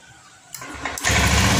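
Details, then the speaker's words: Honda Scoopy ESP after cleaning an injector clogged by rust from the tank, which had bogged and died on throttle: starter whirr, quick catch, steady even idle, then normal throttle response. Normal start and idle. "Oke, stasioner aman Pak ya. Perhatikan di bagian tuasnya Pak, kita pelintir. Oke, normal Pak ya."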